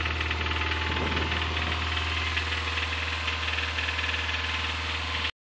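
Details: 2005 Subaru Impreza 2.5RS flat-four, 100k miles: sharp, hard knock about four times a second over idle, loud and regular; teardown showed a bad #1 rod bearing, and the engine was replaced with a used one.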